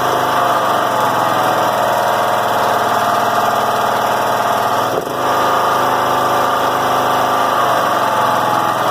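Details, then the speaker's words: John Deere L100 rider, Briggs & Stratton Intek 17 hp, before repair: fast busy idle far above normal even on low throttle with brief mid dip; bent governor spring holding throttle open, governor ruled out. "that was that it was between 2500 and 5000 and it wasn't doing this wobbling it just not sure what was going on with that"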